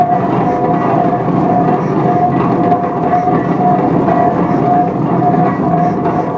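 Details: 1917 Minneapolis 40-80 tractor running for the first time after rebuild: big slow engine chuffing at a steady beat of about ninety a minute, turning over evenly with no knocks or misses.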